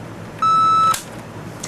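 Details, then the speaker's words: Panasonic RC-6288 clock radio alarm giving one short fixed-pitch electronic beep through the speaker at full loudness, unchanged even with the volume at max; alarm beeper has no volume control. "It'd be nice if it was at least volume controllable, but I can have that up to max and it doesn't change the volume at all."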